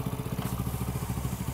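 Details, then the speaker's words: Hero Passion Pro single-cylinder idling after timing chain tensioner air bled and bolt retightened, engine rebuilt 500 km earlier; steady even thump with no ticking or chain rattle, tappets checked at 0.04 intake. Normal idle. "Engine का sound भी देखिए मस्त मला मक्खन आ रहा है लीजिए अब चलिए हम एक बार इंजन का आप लोग को साउंड सुना रहे हैं इंजन से बिल्कुल भी नज नहीं आ रहा इंजन से बिल्कुल भी साउंड नहीं आ रहा है"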